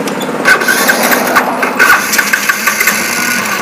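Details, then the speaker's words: Yamaha Jupiter Z after refitting the carburetor, needle and spark plug: small single holds an even, regular idle with no misses or pops. Low-speed running is fine, but the exhaust still backfires at mid-to-high revs, so ignition spark is checked next. "Ya, seperti biasa untuk putaran bawahnya atau di posisi stasioner ini masih aman."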